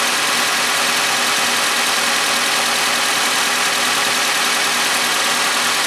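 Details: Suzuki G16B 16-valve (Geo Tracker) engine at 133,000, idling warmed up after valve lash adjustment: an even, steady idle under heavy hiss with no top-end ticking or tapping; the valves sound properly set.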